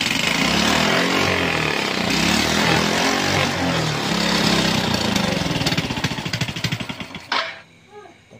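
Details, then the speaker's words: Fire-damaged motorcycle after rebuild and rewiring, test-started with yellow pulser wire disconnected and black wires joined: fast steady single-cylinder putter that revs and holds, then fades as it shuts off; engine runs properly. "Kita coba hidupkan. Oke, ternyata hidup."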